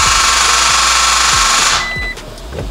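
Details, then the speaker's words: 2016 Toyota Tacoma push-to-start, about a year and a half old, after a car wash: a fast, harsh rapid clicking when starting that cuts off abruptly; the battery had a faulty cell, would not hold charge and was replaced under warranty. "when i went to start it back up made this horrendous clicking sound like rapid clicking"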